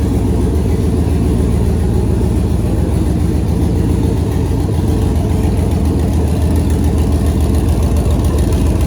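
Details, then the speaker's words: 2008 Silverado prerunner V8 on newly installed Holley Terminator X Max ECU with Aeromotive 340 fuel pumps, first start after an initial rough attempt was fixed; steady, even low idle with no knocks, misses or surging; ECU working, normal idle. "so dang that's gonna do it for this week i'm super stoked to hear that motor run and now i know the computer systems all working good"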